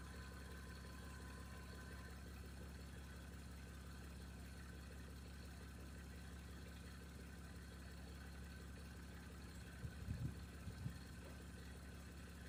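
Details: 1989 Toyota Cressida that sat for years, just revived: low steady even idle, no knocks, misses or whine throughout; brief smoke at startup already cleared. Normal idle.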